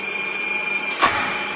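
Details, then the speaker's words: Three-phase induction motor started via a manual star-delta starter, in star connection: smooth steady hum with even tone and one sharp starter click; running normally. "ये देखिए motor चल गई है वहाँ पे, और motor की आवाज़ आ रही है आपको,"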